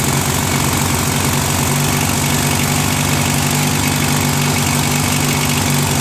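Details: Free trash-find Briggs & Stratton 16HP opposed-twin on a Murray Ultra garden tractor, stuck valve freed, engine flushed, replacement carb fitted, started on full choke: lumpy twin idle that hunts and surges; carburetor idle screw needs adjusting (runs better when held).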